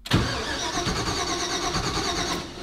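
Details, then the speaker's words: Supercharged Mazda RX-7 FD rotary, custom-wired to standalone Fuel Tech FT550 ECU, first start attempt after about 5 years: starter spins steadily but never fires; ECU shows engine mode off, reading neither cam nor crank sensor. "All right, so there's something that it's not liking."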